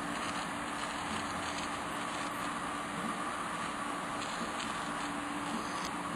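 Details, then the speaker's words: Water pump hums steadily with a continuous airy hiss as its suction line draws air through a badly soldered, overheated copper sweat joint. Pump sucking air through a leaking suction joint. "I hear it leaking. Suck in here. Yeah. I'm gonna have to bring my own supplies. Sucking air. Hear it?"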